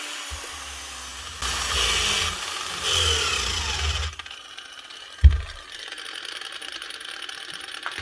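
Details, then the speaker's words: Old Hitachi G12SR3 angle grinder, spinning far too freely: spins up then runs in uneven spluttering bursts with dropouts and a thump; brushes found nearly worn out, bearings or motor also suspected. "maybe the brushes are gone on this cuz that's too free"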